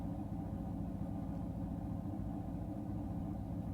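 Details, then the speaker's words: Chevy LT1 383 on engine dyno, quiet street cam, unported LT4 heads, first startup: deep even V8 rumble warming up at idle while initial timing dialed from about 30 to 36 degrees; brief smoke cleared, normal. "that's a good telltale right there and hear the engines warming up and I'm dialing in timing initial timing"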